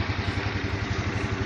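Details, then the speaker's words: Yamaha Mio Sporty after CVT service and tidying the wiring, before refitting body: starts easily and idles with an even putter, steady speed, no rattle; no remaining problems. "sepertinya sudah tidak ada lagi masalah ] [ motor bisa ON dengan mudah ]"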